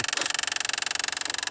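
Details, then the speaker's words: Jeep with no blower motor (resistor and blower already replaced): rapid woodpecker-like tapping, about seventeen clicks a second, when the key is turned, engine off; the recirculation door actuator motor is making the noise. "also I noticed when you turn the key it sounds like a woodpecker in the - sometimes"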